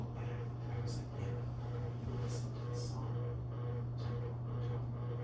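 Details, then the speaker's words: Hunter Mill Valley ceiling fan, AC motor with farmhouse light kit, running on high: steady low hum under the fan with a soft rhythmic buzz about once a second, likely from a loose light kit. "sounds like the light kit might be a little loose. That's why we're getting that buzzing. It's rhythmic."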